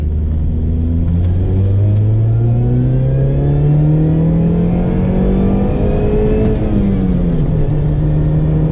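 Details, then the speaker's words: 2004 Saturn Ion Redline, 2.0 L supercharged inline-4, about 230 hp, hard acceleration run through the revs: engine note climbs with thin rising whine on top; normal supercharger whine, power tapers slightly near 6,000 rpm. "Unbelievable. That sound. The supercharger whine is immense. Absolutely immense. It just sings. It's so raw."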